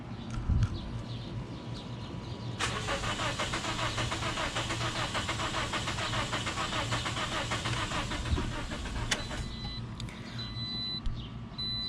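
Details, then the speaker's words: 2008 Toyota Corolla, 172,000 miles, misfire complaint, ignition coils unplugged, clear-flood cranking: uneven, lumpy starter rhythm showing low compression, traced to leaking intake valves on two cylinders. "hopefully you guys could hear that so it does not sound consistent"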